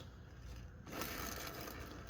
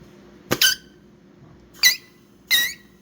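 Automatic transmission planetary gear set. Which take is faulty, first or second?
first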